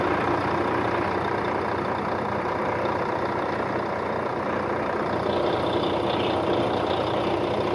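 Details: 2004 Volvo truck diesel, recorded with the hood open after the truck sat 6 years in a truck graveyard: steady, even idle with a low rumble and no knocks or misses; sounds healthy.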